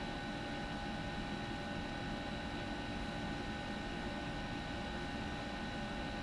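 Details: Homemade R600a low-temperature drink cooler condensing unit (140 W, 1.8 A, two-speed evaporator fan, auto defrost): a quiet, steady hum with a soft fan whoosh that never wavers, the cooling unit running normally.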